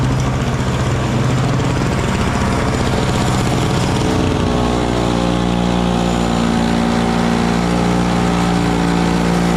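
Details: Small Frontier backyard snowblower clearing snow from a shop floor in cold weather: a loud, steady small-engine drone that dips in pitch around four seconds as it takes load, then holds even. It is running fine under load.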